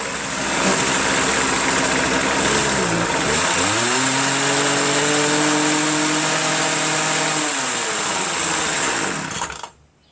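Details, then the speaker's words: Small two-stroke unit, free with silicone-sealed leaking gas cap, started: buzzes, dips, holds a higher steady tone, then fades and cuts out completely when switched to run; stalls, cause unclear. "Except it stalls on run. I'm going to sell it for cheap."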